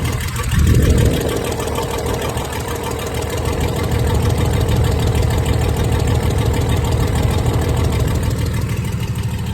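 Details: 1996 Dodge 2500 diesel, cold, no exhaust fitted, after stock HX35 turbo replacement and transmission swap, still burning off oil: loose, uneven chug with a faint tick about three a second, engine shaking; owner says it always ticked when cold; rough cold idle.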